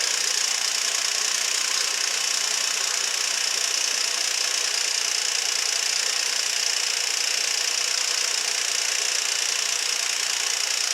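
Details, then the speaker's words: 2006 Nissan Altima, 200,000 miles, P0300 misfire, after new plugs and intake reassembly, oil recently changed: thin, tinny metallic rattle at steady idle, three to four beats a second; timing chain suspected, not the misfire cause. "So that was a rattle I was referring to, and I think that timing chain is definitely going to have to be replaced in the future."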